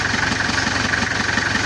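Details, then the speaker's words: Toyota Kijang diesel with coolant overflowing into reservoir, before repair: steady, light, regular idle clatter, not harsh, no roughness or misses; engine itself sounds cool and problem-free. "untuk suara mesinnya ini adem ringan enteng enggak terlalu kasar halus tapi enggak ada kendala di"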